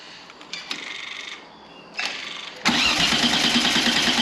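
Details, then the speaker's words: 2 L V6 trike, jump pack at 11.3–11.7 V, about 9 V at the pump while cranking: starter whirs engine fast and evenly but it never fires; power reaches the pump, so the fuel pump is suspected. "so yeah we've got power so it looks like it's the fuel pump right"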